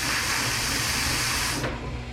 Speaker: gonna hold it downwards and pull the pull cord in